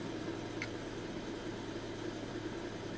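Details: Kia 2.4 Theta II GDI engine, slightly cooled, in Drive; steady droning rush with a low hum underneath, noise absent in Park, pointing to the air-conditioning compressor.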